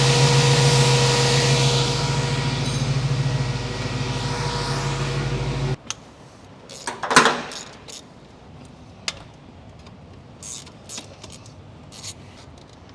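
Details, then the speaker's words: 1967 Ford Mustang 302 V8, carbureted, about 20,000 miles since rebuild, never tuned: loud idle with a slightly lumpy uneven beat, not dying with both mixture screws all the way in; vacuum leak causing a rough idle. "All right. So, all the way in both mixture screws should die. There's a vacuum leak somewhere."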